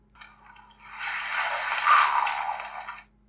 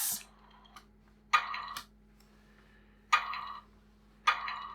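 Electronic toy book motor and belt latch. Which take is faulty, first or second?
first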